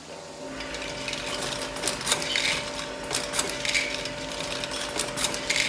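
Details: Cremer CF1220 (TQ1220) tablet counter test run after the PLC and HMI retrofit; steady hum with fast irregular tablet rattle and light clicks, about four a second, no grinding or knocking. Normal running.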